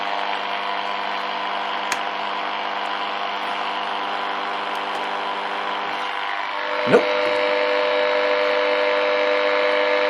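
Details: Early-1950s HMV Little Nipper Mark II radio after a failed repair attempt: only steady mains hum and faint hiss, no stations; local oscillator not running, owner suspects the oscillator coil.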